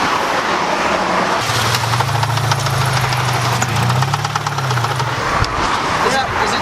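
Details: Integra petrol engine, hot and burning oil: a steady low drone with a sharp, repetitive knock ticking over it. Owner suspects rod knock, not confirmed.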